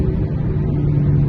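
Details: Car driving at about 30–40 km/h with a steady low hum howling over road rumble, loud from the front and growing with speed; worn front wheel bearings found on inspection.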